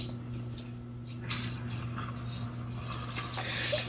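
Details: KRK Rokit 5 powered speaker: steady low hum with irregular crackling and popping bursts like frying fish; still present after opening the board, which has many problems, speaker judged not worth repairing.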